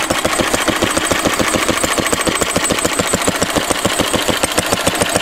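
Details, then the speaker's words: 1942 Lister D-type stationary single-cylinder engine, 80 years old, cleaned out after standing a long time: steady, even thump about 3.5 beats a second with no misses or knocks; running healthily. "let's listen to the list of d running 80 years old still doing well and hopefully we'll go on and do another 80 years"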